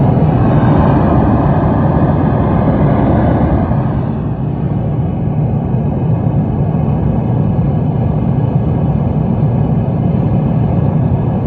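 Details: Bogner Ecstasy Red pedal on a 9V battery, driving a Fender Hot Rod Deluxe IV amp from a Fender American Professional II guitar: loud steady rumbling roar with hiss and nothing being played, even with volume and gain down; internal hardware fault, power supply ruled out.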